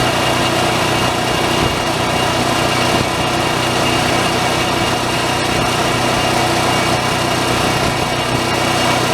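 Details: Onan 4000 RV generator after carburetor replacement and governor screw adjustment, unloaded: steady even drone at constant speed, no surging, cutting out or knocking; normal running.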